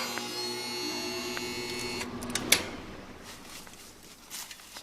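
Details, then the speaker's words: Air-conditioning compressor energised via contactor: steady low electrical hum for two seconds, then a sharp click and quiet; compressor hums without starting, near locked-rotor amps, either locked up or an electrical fault limiting torque, not yet confirmed. "so that situation uh I say you don't at that point you don't know compressor may be in fact locked up"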